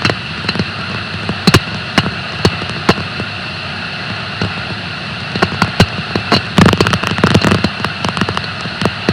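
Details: Bearing on a bleach decker in a pulp and paper plant: steady hiss broken by sharp, irregular cracks and pops; waveform peaks and audible impact noises indicate a bearing defect.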